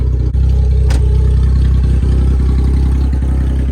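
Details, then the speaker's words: Subaru Justy, true cold start after two weeks sitting outside, warming up with open headers and no exhaust fitted: a loud, lumpy, deep, tractor-like idle with no muffling. "Open headers, no exhaust. Exhaust is back there. It's idling."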